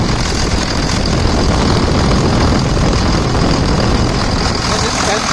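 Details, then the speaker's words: 2000 Dodge Ram 2nd-gen Cummins diesel after bypassing AC compressor pulley with 65" non-AC serpentine belt: loud, steady idle clatter, no belt chirp or squeal; belt tracking straight, normal idle. "So I'll go ahead and start it here now. Let's go right over here. Sounds good."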